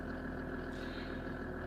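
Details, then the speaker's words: Mercedes-Benz W124 S124 estate diesel, engine still cold, in gear with the pedal floored: steady low idle with an even beat that barely changes, car not moving in any gear; no power under load, cause not yet found. "Okay, I've got the pedal in full. The car's not moving. Relieve the foot, I press it down. It's not going anywhere. You see, that's a big problem."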